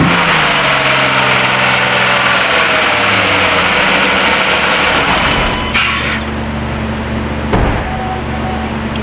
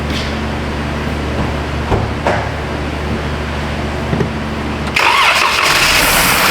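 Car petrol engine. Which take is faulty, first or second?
second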